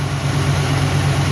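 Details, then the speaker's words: 1983 El Camino idling on its first start after sitting untouched for 7 years; many gauges don't work. Deep, steady burble with even pulses and no knocks or misses; normal idle, runs well. "looky there miss Carolyn that car runs better"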